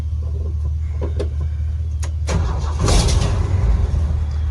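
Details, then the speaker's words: 1971 Ford F-350 crew cab straight six revived after 20 years sitting, jumped with cables, no carb spray: starter cranks briefly, engine catches and settles into steady even idle with no stumble or misses; healthy start. "wow i didn't spray anything in the carbs she sounds ready to go"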